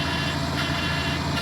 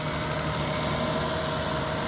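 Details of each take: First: 1997 Toyota Camry with swapped-in Avalon engine, first start after the swap: rough, slightly lumpy idle with a low burbling underneath and no clear knock; an odd engine noise, possibly from the oil pump or power steering, unconfirmed. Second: Toyota Camry with engine swapped from an Avalon, first start after the swap: steady, even idle with smooth hum and faint steady whine, no knocks or stumbles; running healthy.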